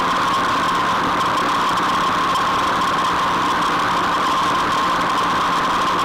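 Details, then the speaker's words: Rotary mower gearbox after repair and oil refill, running at full tractor PTO speed as a test. A steady, even whirr with no knocks, grinding or rattles; the gearbox sounds healthy and runs normally. "I'm going to go put the PTO in gear on the tractor. We'll take it up to full speed and see what it sounds like."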